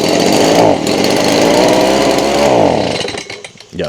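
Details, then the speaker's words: Stihl BG55 two-stroke leaf blower, bought used around 2020; buzzes and surges unevenly, never reaches full revs, then sags and stalls; owner suspects clogged carburetor limiting fuel through primer bulb, before carb cleaning. "That's exactly what it's doing. And, you know, I could keep messing around with that and, you know, probably get it to to switch over to the high revs uh and get the job done."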